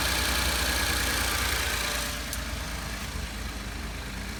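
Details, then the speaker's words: 2012 Ford F-150 XLT 3.5L twin-turbo EcoBoost, about 64,000 miles, cold idle after exhaust manifold gasket repair: smooth even idle, only light steady injector tick, no exhaust puff or leak noise. "now really the only thing that I'm hearing are the the injector's opening up"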